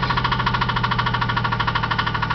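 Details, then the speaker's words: Owner's truck engine blew up en route: sharp even metallic knock about ten times a second at idle over engine note, classic rod knock. "my engine blew up so my wife's not getting an engine I am and here's what it sounds like nice cheery rod knock going on awesome ain't it"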